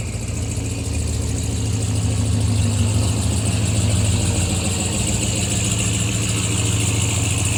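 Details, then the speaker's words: Ram TRX with a junkyard replacement engine after the original blew two holes in the block: steady deep drone at fast idle with a coarse, breathy rumble and no clear knock; owner suspects the turbo wastegate stuck open, unconfirmed. "I think the wastegate might be stuck open now. Listen to it. The turbo just blew up. That's what it sounds like."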